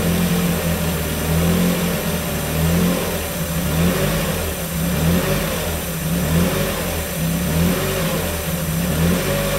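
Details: 1994 Miata NA with 2000 NB four-cylinder, first start on Megasquirt and EDIS-4, 4-2-1 header, Yonaka exhaust; after leaning rich VE table, fairly even idle with gentle slow rise and fall, no stumbling: normal running.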